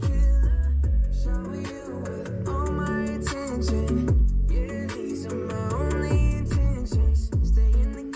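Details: 2020 Subaru WRX passenger door after fixing: panel clips tightened and felt tape added; bass-heavy music plays cleanly through the door speaker with no resonance or rattle from the panel.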